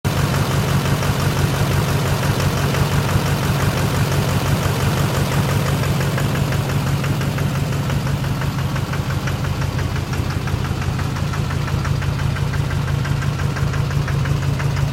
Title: 2006 Duramax LBZ Knock, Rough Idle